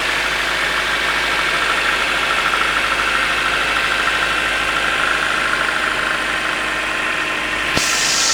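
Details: Toyota 5A-FE at cold idle: light, quick tapping about three times a second, knock starting around 15 seconds in, seemingly under the valve cover; source not confirmed.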